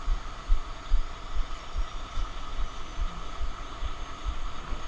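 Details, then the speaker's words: Volvo VNL760 truck started in neutral after battery replacement (batteries had died): soft, even diesel idle with a steady low thump a bit over twice a second, no knocks or misses; sounds healthy. "Let's put it in neutral and let's see if it starts. And there we have it. Now the truck is alive again."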